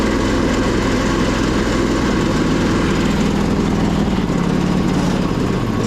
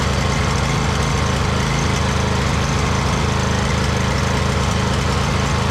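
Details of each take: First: 2008 Husqvarna YTH2242 with Briggs V-twin, as traded in, with blades engaged. It runs loud, lumpy and uneven with a big backfire, then dies with a few pops: a misfire from a bent push rod. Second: 2008 Husqvarna YTH2242 with a Briggs V-twin, after repairing a bent push rod, with good compression: a steady, even low putter with a firm beat and only a slight surge. The engine runs healthy.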